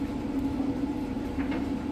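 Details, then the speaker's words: Speed Queen electric dryer from an estate auction, time dry on high heat with a load of towels, vent hose not fitted so blowing is heard from the back; steady low hum, soft airflow rush, faint tumbling, no scraping; normal running. "But once you get your vent hose on there, it's virtually silent. You might just hear the clothes tumbling around."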